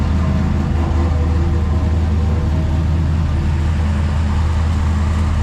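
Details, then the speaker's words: Brand-new small-block Chevy V8 after fixing oil-burning blue smoke, running about half an hour: deep even burble at steady idle, no miss, tick, knock or smoke; normal running. "turn's good no issues no smoke she's been running for about half an hour"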